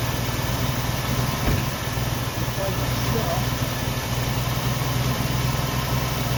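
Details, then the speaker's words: 1990 Jeep Wrangler carbureted engine, fuel tank just refitted, fuel injectors and carburetor due for cleaning: low, lumpy idle pulsing unevenly about four times a second, running really rough. "it gets out of the sunlight and here she's really rough"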